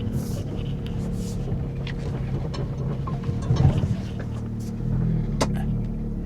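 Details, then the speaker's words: Audi A5 6-speed, check engine light on, starting poorly, driving onto lift: deep labored rumble with no revving up, not misfiring but bogging badly under load; cause not yet found, codes pending. "No, it doesn't want to go. Not at all. Oh, that noise. That's so bad. [music] Yeah, it just it's bogging something fierce, man."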